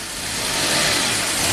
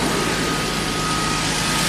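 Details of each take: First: 1990 Jaguar XJS V12 after about 5 minutes of warming up: hissy, uneven idle whose level climbs over a couple of seconds; idle too high and surging as it warms. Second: 1990 Jaguar XJS V12 with a high idle that surges while warming up, after turning the idle adjustment screw fully in (two turns): even steady idle with constant smooth hum and no hunting; no surging at the moment.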